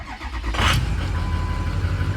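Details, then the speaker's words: 6.0 diesel pickup at 250k miles with a ruptured oil cooler, glow plug faults and cylinder 2 and 7 contribution-balance codes, started after clearing codes. A short crank, then it catches right away and settles into a smooth, steady idle. "gracious, it fired right up good. Damn, it actually sounds good."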